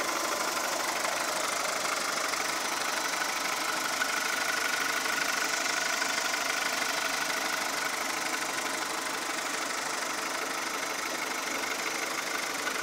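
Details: 2002 VW Golf 4 1.4 75 hp petrol at idle: sharp regular ticking knock about three per second, sounding diesel-like; engine knock, source not yet found.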